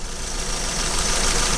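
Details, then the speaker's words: Acura TSX at idle with ignition coil connectors unplugged one at a time to find the dead cylinder: uneven, lumpy shake with no steady beat; misfire, cylinder 3 coil found bad since unplugging it made no difference. "We're gonna pop a connector on each coil and let's see the difference, okay, in the engine vibrate."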